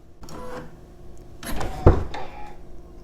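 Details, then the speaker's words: Tesla front door fitted with aftermarket Hansshow soft-close doors and self-presenting handles: short electric whir and a few mechanical clicks as the door opens, the added motors running; the stock rear door opens with no motor sound. "even when you open the door there is some kind of motor sound that you hear"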